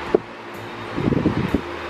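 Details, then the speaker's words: Maspion wall fan that made a squeaking "mouse" noise, fully reassembled after replacing the damaged shaft bushing and fine-sanding the shaft: soft, even motor hum with some rustling and no squeak or chirp. Normal running after repair. "Jalan semua kita nolin yang lihat kita matikan jadi meledak jadi bunyi tikusnya enggak ada dan yang rusak itu bagian bosnya yang mana bosnya tadi"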